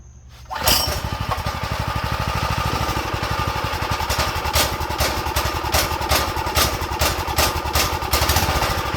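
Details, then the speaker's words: Go-kart small single after draining the fuel bowl and tank and refilling with new fuel: fires up into a fast, mostly steady chatter with uneven beats, idle low; owner suspects dirty carb jets, emulsion tube and main jet. "that's better A lot better maybe it needs the maybe the idle needs to go up let me see we probably need to clean the Jets to be honest"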